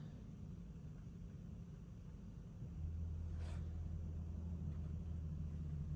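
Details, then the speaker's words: BMW E90 335d diesel after fuel filter and fuel heater replacement, in-tank pump run via diagnostics to bleed the self-bleeding system: low steady hum comes in and holds even; pump priming normally, though the engine still didn't start afterwards. "I don't know if you can hear that, but the intank pump is now doing stuff."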